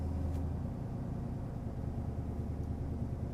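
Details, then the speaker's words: Truck that has been running rich, with worse fuel mileage and some recent smoking, fired up after long-tube headers: steady deep rumble at an unusually high idle, where it normally idled low. "Let's fire it up and let's see what we got. Ooh, high idle. Never seen that before. That's new."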